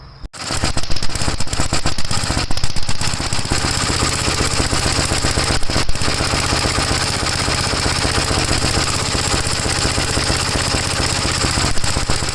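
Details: 1956 Gravely L single-cylinder on a cold start, hard to start, before the head is pulled (carburetor already ruled out by a swap): catches and chugs with an uneven loping beat, about four pops a second. Runs rough; cause not yet found.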